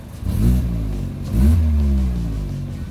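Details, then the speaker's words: Saturn Astra with returning check engine light (P2096): two quick revs give a raspy, louder-than-normal exhaust note from under the footwell area, plus rattling at idle; owner suspects a rusted, cracked or separated exhaust ahead of the muffler. "the louder exhaust note seems to be coming almost down under the foot well area so it makes me wonder if there isn't like a hole or a crack or like something like that in the exhaust back there"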